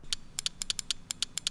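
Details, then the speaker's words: Chevy truck relay bench-tested by touching coil to car battery: about a dozen sharp crisp clicks in under two seconds, relay switching properly and good. "If it clicks, clicks, clicks, clicks a lot when you touch it to the battery, it's good."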